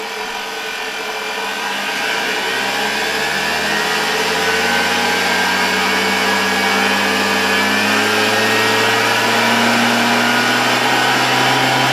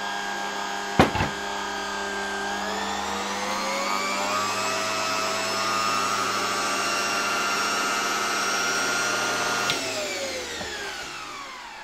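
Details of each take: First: 1987 Zelmer 200.8 vacuum cleaner, original type 300 motor with new brushes, on a voltage regulator. Motor winds up over two seconds to a high steady whine with gritty crackling hiss; excessive brush sparking, owner also suspects the speed is too high. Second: 1987 Zelmer 200.8 vacuum cleaner with replacement 1985 type 300 motor. Spins up to a clean steady whine, holds speed, winds down smoothly with no crackle; only minimal normal glow at the brushes, unlike the original motor's sparks. Normal motor run.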